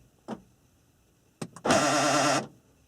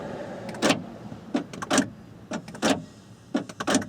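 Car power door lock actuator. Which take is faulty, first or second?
first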